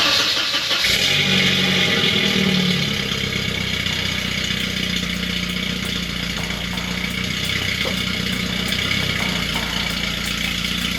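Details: 1989 Volvo 240 DL Wagon after restoration: engine cranks briefly, catches cleanly and settles into a smooth, steady idle with an even exhaust note; sounds healthy.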